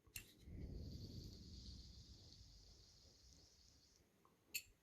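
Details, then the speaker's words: PS3 fan for a PS4 Pro, spun by finger flick near microphone: faint high whir spinning down over about three seconds with scratchy edge; slightly quieter but audible sleeve bearing rubbing noise. "so this one is maybe a little bit quieter but you still can hear it all the time because it has here feeder"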